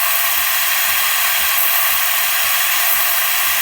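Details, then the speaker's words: Breville XL espresso machine after OPV adjustment for a pressure problem: steam wand purges water then steady loud steam hiss, pump pulsing about twice a second as steam pressure builds; normal steam operation. "It's going to purge water first, and then steam will follow. You can hear the pump kicking on now, so the steam pressure will now increase. You can hear it's really going now."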